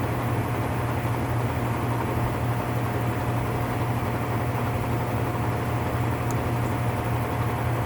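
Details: Whirlpool top-load washer (model 110…) with grinding complaint when motor runs, manual-test high spin: steady rough grinding roar over a low drone without letup; worn gearcase needing replacement.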